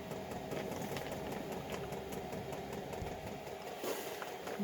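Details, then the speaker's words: Chinese 5 kW diesel heater with LCD controller on 11.4 V supply (recommended 11.5–12.8 V), a few air bubbles in the fuel line: quick fairly even dosing pump ticking over a low hum, running high; pump working normally, no errors. "right well you can hear the fuel pump is going pretty good at 11.4 volts is a little less than it recommended on the front cover"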